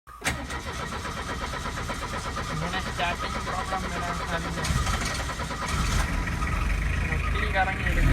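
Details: 2006 Tata Sumo Victa GX, 2.0 L Peugeot XD88 naturally aspirated indirect-injection diesel, 5-speed manual: catches after short crank, then uneven shaky idle rising slightly; hard starting with engine vibration and dead throttle.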